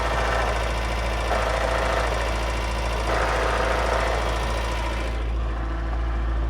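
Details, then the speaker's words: 1983 Toyota pickup at cold-start idle: steady petrol idle with a light, uneven rattle about four a second from the clutch throwout bearing; the noise goes away when the clutch is depressed. "And you can hear that throwout bearing, because when I depress the clutch, it goes away. That's cold start. And again, that throwout bearing, you can hear it."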